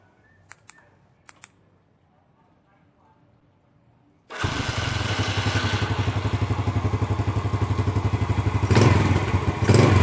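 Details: Motorcycle start after remote starter alarm installation test: a few quiet clicks, then the engine catches at once and settles into an even, steady beat; clean start and normal running.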